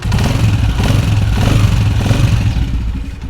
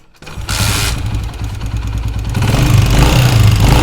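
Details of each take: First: 2022 Honda CG125 motorcycle after home fix for noise a mechanic blamed on cam gear: single cylinder revs and settles smoothly, no tapping or clatter; runs like new. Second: 2022 Honda CG125 motorcycle starting and idling: light quick top-end tick about four per second; mechanic attributed it to cam gear, cam chain tensioner needs adjusting.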